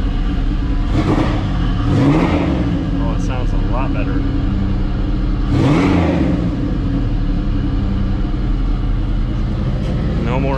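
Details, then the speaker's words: 1984 Pontiac Fiero with a 3800 V6 swap, after replacing reused header gaskets and adding a V-band clamp to fix an exhaust leak: clean, smooth revs over a steady idle with no ticking or puffing; exhaust sealed, engine sounds healthy. "leaks well i'm happy with it sounds a lot better only took a couple hours in reality so i'll be into this part of the video"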